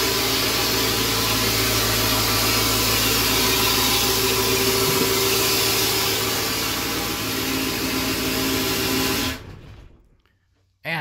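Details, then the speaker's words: 7.3L Powerstroke turbo diesel (Navistar T444E), first start after almost 2 years crated: loud, hissy idle with steady clatter and rough, rattly exhaust note until shutdown; exhaust back pressure valve is noisy. "back pressure valve is noisy ah that's an accomplishment for today"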